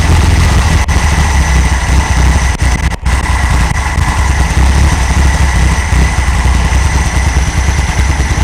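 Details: 1964 VW Beetle air-cooled engine idling from cold after a tune-up replacing rockers, carburetor and ignition parts: deep, steady putter settling into an even idle with no misses or knocks; healthy.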